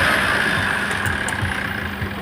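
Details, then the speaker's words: Tata Safari Storme diesel after repair, new turbo core, hose pipe, filters and oil filter fitted, parts cleaned and sprayed: steady even idle with faint constant high whistle, no knocks or rattles, normal idle, engine okay. "इसको साफ करके spray के साथ और अच्छे से गाड़ी fit कर द अभी गाड़ी जो है बिल्कुल ओके है मस्त है"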